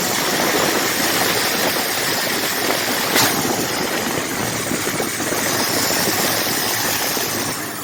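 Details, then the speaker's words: Rebuilt 1979 Ford F150 engine, warm, with temperature and oil pressure good: steady idle with an even hiss and fairly smooth beat, no knocks or stumbles; normal idle. "Now let's see what she sounds like. As you can tell, it sounds really good."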